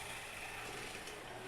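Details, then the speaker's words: Tyco Mantua B&O model steam locomotive with a five-pole motor, unrun about 50 years, after cleaning of oxidized contacts. Pushed toward top speed, it gives a fast, even high-pitched whir with steady gear hiss and no stutters. Normal high-speed running. "wow um yeah for an engine of its age with a five pole that's pretty fast"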